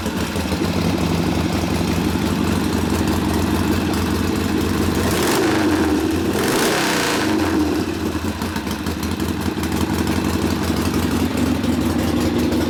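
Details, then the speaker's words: 1972 Harley-Davidson Sportster XLCH Ironhead V-twin after case repair and rebuild with brand-new rings, starting in about four easy kicks; lumpy idle with crisp revs varied and settling smoothly, no misses or knocks, ignition firing crisply; normal idle and revving. "just vary the rpm and oh you know put a little load on it it's nice and crisp ignition obviously working pretty nice yeah firing nice and crisp starting up easy"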